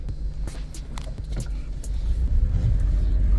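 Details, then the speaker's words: Vehicle just after transmission replacement and ATF fill, running with D light flashing: rough stumbling idle with dropping beat and sharp clicks, misfiring; owner suspects a solenoid, later says it was own mistake. "I I know I'm misfiring still cuz I can hear it pretty good and I believe that's something with the solenoid"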